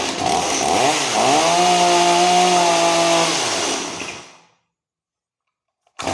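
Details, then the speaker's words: Stihl MS250 two-stroke chainsaw just after carburetor and fuel line replacement, first start: revs, then a low burbling idle that sags and dies within seconds; idle set too low. "h all right so it's running but it's uh needs idled up a little bit"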